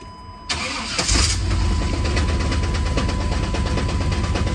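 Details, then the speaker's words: Van on a cold start: the engine cranks and catches, then settles into a rough, clattering racket at idle, caused by a cracked flex plate. "We don't mind that racket there. Main thing is, just fire it up, right? I know, right? It sounds really bad, but it's actually not that bad. It's actually just a flex plate that's cracked."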